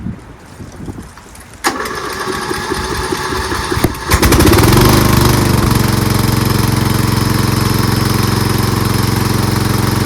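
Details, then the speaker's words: Lawn tractor riding mower engine with new fuel shutoff valve closed: brief cranking, then a steady, even run with no misses, left running until it stalls to burn the carburetor bowl dry for winter storage; normal running. "So now I'm going to start it up and let it run until it naturally stops and stalls by depleting and burning off all the gas that's in the bowl of the carburetor."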